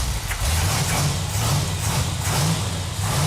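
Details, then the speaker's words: 440 Six Pack (three two-barrel) V8 for the 69½ A12 Super Bee on an engine run stand, first start after tightening fuel lines for its warm-up: deep, lumpy rumble with throttle blips, firing even and steady; runs good. "It feels really good to hear that engine run. Yeah, feels good. That engine sounds so good."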